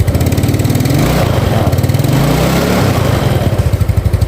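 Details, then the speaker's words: Yamaha Mio Sporty carburetor scooter, oil primed and spark plug already changed: idles normally but chokes and stutters in uneven bursts each time the throttle opens and stalls if forced; the carburetor slide needle has come loose. "Hidup normal, langsam ya, tapi dia nggak mau digas ya. Kalau digas dia berbet, terus kalau dipaksa mati dia."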